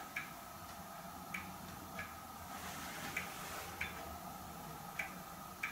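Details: Hermle weight-driven grandfather clock movement on a homemade leveled test stand (F-350 rotor disc base), pendulum just fitted; crisp light ticks at an even pace roughly every half second, quiet room, running properly.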